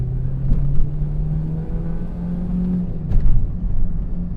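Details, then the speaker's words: 1999 Volvo S40 automatic, one owner 11 years, pulling from a traffic light in Sport mode at full throttle after wheelspin: low heavy drone stays flat, never climbs; engine bogging and not pulling. "в полу педали она погибла. Да. Все, погоди, не заглохнет?"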